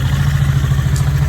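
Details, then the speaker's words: 370k-mile Volvo V70 running on about 3.5 to 4 cylinders: rough, lumpy idle with a steady clatter and missing pulses; changing a couple of injectors didn't help, likely a burned valve. "Clattering away, not running well."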